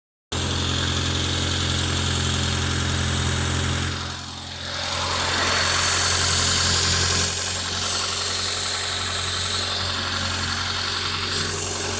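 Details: Honda Civic EU8 with D16V1 converted to D16Y8 intake, idling: steady idle with a constant airy vacuum-leak hiss, leak found around the throttle body gasket.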